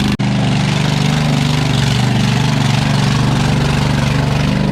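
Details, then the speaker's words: New Holland LS140 skid steer, about 2.5 years old, cold start after sitting 2+ months: steady idle with a loud, raw, rapid popping bark because the exhaust is broken in two spots; has had cold-start trouble. "uh of course it sounds like a race car because the exhaust is broken in both spots"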